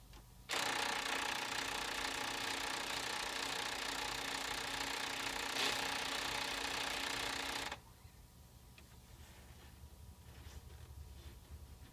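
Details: PS3 console making a harsh, buzzy mechanical grinding for about seven seconds as a disc is inserted, then cutting off abruptly. The disc drive grinds on insertion, cause unknown.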